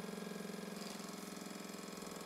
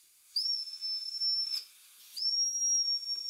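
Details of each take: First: Old Mamod TE1A toy steam traction engine before rebuild: quick even chuffing beat at steady pace, no stumbles or knocks, running much more smoothly than originally, hot smoke box and chimney. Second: Old Mamod TE1A toy traction engine before rebuild, boiler fed about 10 psi compressed air: steady high shrill whistle that won't shut off, in two long blasts; whistle valve stuck open internally, bush possibly spinning.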